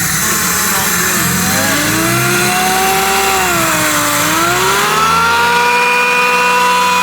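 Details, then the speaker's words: Mazda Miata with Jackson Racing supercharger kit, speed density tune, first start after install: loud clear whine rising and falling with revs over steady engine note; normal supercharger whine, tune still needs tweaking. "that thing's loud dude"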